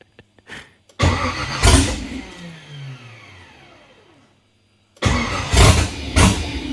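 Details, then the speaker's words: Nissan 240SX with an LS (LM4) swap, new fuel pump fitted, 43 psi fuel pressure and oil pressure present, no throttle bracket yet: repeated cranking that almost catches, then stumbles and winds down. Owner suspects it just needs gas; it later started. "It just needs gas. I got a feeling."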